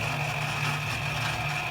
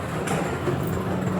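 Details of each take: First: Quick Drop arcade game turntable running intermittently and slowly: constant motor hum with a crunchy, raspy edge and high whine, louder than normal; the turntable gear motor is worn and being replaced. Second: Quick Drop arcade machine after stuck balls were cleared: a continuous, even rolling rattle as balls flow back down and up to the top, with no grinding, working normally.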